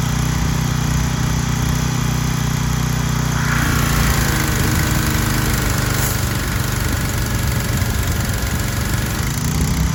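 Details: Troy-Bilt 2700 PSI gas pressure washer with a replacement pump head, running with only the red tip: runs steady, then drops in pitch and labors about three seconds in; the misadjusted unloader is bogging the engine toward a stall.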